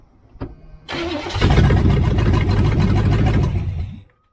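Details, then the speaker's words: Abandoned 1978 Chevrolet Nova V8 (305 or 350 unknown) that runs rough, cranking during compression test; lopsided rhythm at about four beats a second, one beat weak; cylinder reads zero compression, owner suspects stuck valve or missing piston, probably another miss. "uh okay well let's do the other side it's it sounds like there's about two misses in it so I bet there's one on the other side"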